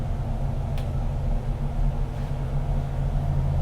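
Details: 528 Hemi V8 with aluminum heads, valve job, double valve springs and electronic distributor, rear seal not leaking: deep, even rumble with a steady firing beat and no knocks or misses.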